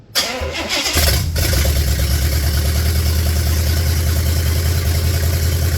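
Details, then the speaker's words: 1966 Buick Special with a 350 V8, first start: brief crank, catches, then a steady, even idle with a smooth low rumble, no misses or knocks; little smoke, gas-smelling not oil, idles down well. "he e all right hey that's pretty fraking nice Sound and Music there isn't it sounds like the old 350 is going to be pretty good"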